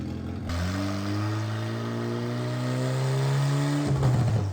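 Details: Miata engine with 2 degrees timing pulled, pulls hard with pitch climbing, then turns rough and clattery near the top; one cylinder detonated, dipstick popped up, porcelain seen.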